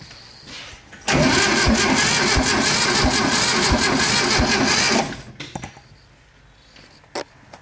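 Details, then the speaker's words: 1972 VW-based Arizona trike, long parked in a hangar, points just set: starter spins the air-cooled engine about twice a second for four seconds without firing; suspected bad condenser, no spark. "nothing could be the [Music] condenser going to check see if this condenser is working"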